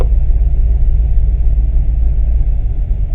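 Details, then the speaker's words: Corvette V8 with FAST EFI 2.0 idling after start, fuel pressure 39, battery 14.5 V: deep uneven loping rumble, about three to four lopes a second, normal performance-camshaft lope; running fine. "Now you can see the air fuel ratio changing. You can hear the lope of my camshaft."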